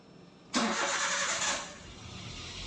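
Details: Daihatsu Terios restarted after its fuel pump was switched off and back on with a G-Scan3: a quick crank catches within a second and settles into a quiet, steady idle with no misfire: normal engine start.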